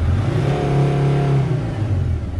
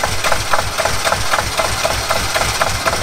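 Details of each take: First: T1N Mercedes Sprinter diesel just fixed from a no-start: climbs cleanly and smoothly under a blip of throttle to 4000 rpm or above with no miss or hesitation; not in limp mode. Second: T1N Mercedes Sprinter diesel: steady starter cranking with even compression beats for four seconds, never catching. Crank, no start; no diesel sprays at the injector line because the injectors get no electrical power and are not opening.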